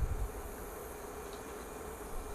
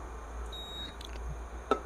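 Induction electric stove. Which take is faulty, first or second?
second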